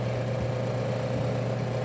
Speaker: barulho é normal dos ventiladores funcionando